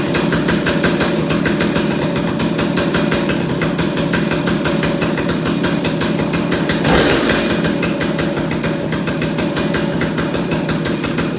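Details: Stihl 028AV Wood Boss chainsaw after carburetor clean and rebuild, before tuning the adjustment screws, warming up: loud, steady two-stroke buzz holding even revs without stumbles or dropouts; normal running.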